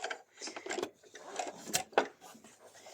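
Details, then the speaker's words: Sewing machine with a horizontal bobbin, after bobbin-area maintenance: light, uneven mechanism clatter at about one stroke a second with no heavy knock. The earlier bobbin knocking is gone and the machine works perfectly. "Como pueden ver, ese golpeteo que teníamos en un principio ya no está, que era el que se daba justo aquí en la bobina. Ya esa bobina no volvió a saltar, está funcionando perfectamente"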